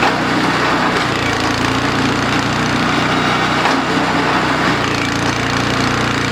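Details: DR RapidFire PRO-XL log splitter, petrol engine at full throttle splitting dried cottonwood, just back from the shop: harsh busy drone with a loose buzzing rattle while the ram is stuck; cause suspected, not confirmed (muffler later failed).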